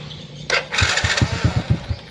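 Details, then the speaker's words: Honda Supra Fit motorcycle is hard to start on the electric starter: it whirs, catches briefly with uneven puffs, then dies. It starts at once on the kick starter. The suspected cause is leaking compression. "stater tangan ya ndak langsung hidup ya susah itu kayak mau hidup tapi langsung mati gitu enggak mau hidup langsung tapi kalau diengkol itu langsung hidup"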